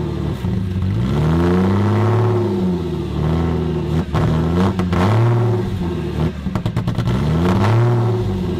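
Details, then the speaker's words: 1998 Porsche Boxster after an engine swap, on a cold start: the engine surges up and down between throttle blips and can't settle to a steady idle. "the thing i'm using right now and i guess josh is saying this was pretty normal when you swap an engine is it's struggling to find idle"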